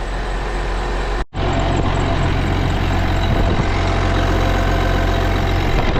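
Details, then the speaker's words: Case 305 diesel after replacing the exhaust manifold gaskets, hood off: a steady, even idle with a smooth low rumble; the earlier ticking from the exhaust leak is gone. "Hey, now that sounds more like it. No more ticking sound."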